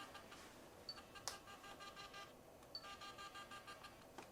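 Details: Fujifilm FinePix Z30 digital camera: short buzzy whirs and chirps as the lens extends and retracts, rougher than normal, a sound common to this model; worn lens mechanism, camera still takes pictures.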